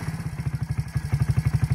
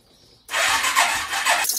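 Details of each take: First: Suzuki ATV after carburettor replacement, first start-up: steady, even putter at about ten firing pulses a second, no misses or surging; engine idles cleanly and runs healthy. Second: Suzuki ATV cranked right after a new carburetor was fitted: the starter drags over in a lazy, uneven chug of about nine beats a second, then cuts out. The crank is slow and the battery sounds weak, but this is suspected, not confirmed.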